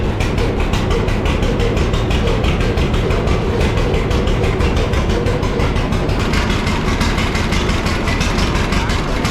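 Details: John Deere D two-cylinder tractor after refitting a new head gasket (previous one blew) and repaired fuel tank: steady, even putt-putt at about three beats a second with no backfires or misses, where before it backfired loudly; running normally.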